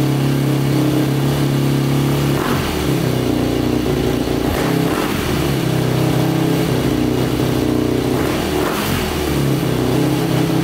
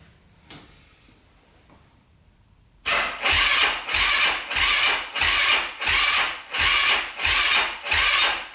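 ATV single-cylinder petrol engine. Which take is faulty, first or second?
second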